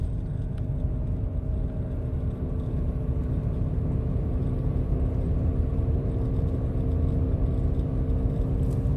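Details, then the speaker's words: Buick LeSabre, older car, cruising on the road with a phone recording; ABS light also on after road debris damaged the wheel-well liner: steady low hum under road rumble from a worn front wheel bearing, started about a week earlier; hub assembly replaced. "so this phone picks up sound pretty good there's a humming noise and it started last monday so it's been uh about seven or eight days now"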